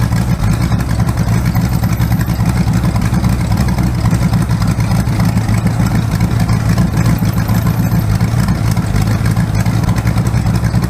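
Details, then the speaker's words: Rebuilt 408 small-block Chevy on a run stand, open headers, timing 20° initial, used spark plugs: loud idle with an uneven stumbling beat, number one cylinder not firing right due to a bad plug. "Yeah, these number one cylinder's got a bad plug. I didn't buy new plugs. I just used whatever I had in my box. So number one cylinder's not firing right, but not bad."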